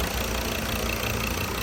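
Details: Ford Everest diesel, four injectors replaced with uprated tips to fix knocking under acceleration, engine run two days; steady even idle, no knock or misfire; running healthy.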